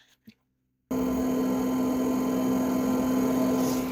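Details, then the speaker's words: BMW fuel-bleeding routine from an Xtool scan tool (120 seconds, about half a tank of fuel), microphone underneath the car: a steady electric hum at one constant pitch, smooth with no whine or rattle; the fuel pump runs normally. "Usually this process is a two-stage process. There is this noise that we are going to hear, and after that there will be a higher pitch noise, a much stronger noise."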